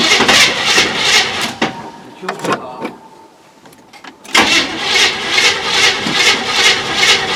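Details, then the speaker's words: 1973 Chevrolet K20 old small-block V8 first start in 20 years after running two-stroke oil through it: fires, briefly drops nearly silent, then settles into a steady even beat, running smoothly. "hey i did it running pretty smooth too it it it was running fine"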